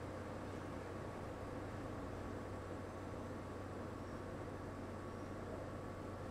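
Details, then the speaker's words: LG portable air conditioner switched from F3 back to low fan (F1); the measured noise dropped just from reducing fan speed: a steady, even hum with soft airflow hiss and no rattles. This is normal low-fan running. "já baixou praticamente 59 decibéis e diferença aí só pelo fato de reduzir a velocidade do ventilador"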